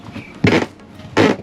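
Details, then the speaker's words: RV floor: two short creaks as weight lands. The cause is the plywood subfloor panels at a seam, which sit on foam, are framed at the sides and are not secured, so they rub over the foam. A foam fix gave mixed results; epoxy later fixed it. "there's a bit of a squeak so we did a little research and found out that we have two pieces of plywood here that sit on foam and are framed on either side"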